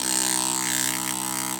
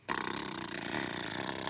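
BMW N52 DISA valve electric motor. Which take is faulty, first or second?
second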